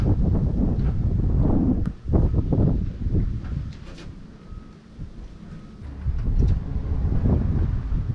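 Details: 42-year-old army Jeep unstarted since 2009, starter fluid sprayed into the carb, air filter off: starter churns and the engine catches with a few rough bursts, then dies; fires briefly on starter fluid but won't keep running.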